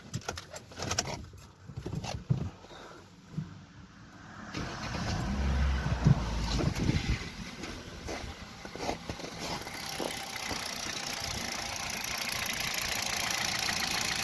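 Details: Kia Rio 3 1.6 at 75,000 km idling with the power steering pump belt removed: engine fires and settles to an even, steady idle with no knocking; the knock came from the power steering pump, not pistons; normal idle.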